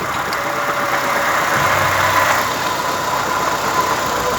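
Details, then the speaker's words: 2005 Nissan Sentra 1.8 with misfire, code P0304, idling while coils are unplugged one by one: with this coil pulled the idle barely roughens and keeps a steady beat, so the cylinder contributes little; cylinder 1 also suspected weak, compression to be checked. "y este como te pague menos bueno si fallas está contribuyendo un poco pero no tanto este falla más este extraño estos dos están extraños"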